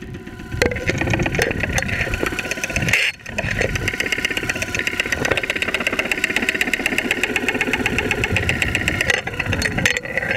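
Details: 2001 Saturn SL2 at idle, close stethoscope-microphone recording after being run very low on oil and sitting two months: loud uneven metallic knock at about four per second; oil pressure gauge reads 35-40 psi.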